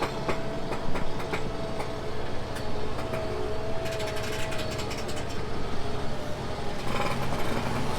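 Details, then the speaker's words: Tractor pulling a scraper cutting hard into dirt: deep diesel drone sagging in pitch as the scraper bites; normal labouring under heavy load. "So he's cutting real hard. You can hear the tractor working."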